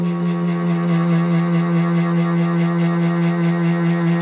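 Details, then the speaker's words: MDF CNC router stepper motor at full driver current: loud steady buzzing hum with a rough pulsing edge from too much current; turning the current down makes the humming largely disappear. "and that's full power there you could hear that was quite noisy and it was full power so we'll tune it"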